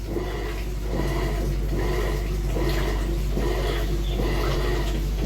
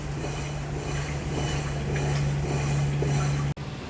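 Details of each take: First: Electrolux washing machine after its blown drum bearings were replaced: a steady motor hum under rhythmic water sloshing with no growl, rumble or grinding; it now runs normally. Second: Electrolux washing machine making motor noise while washing or agitating: constant low hum with a rough, gritty rumble underneath as the drum turns; the drum bearings are blown and to be replaced.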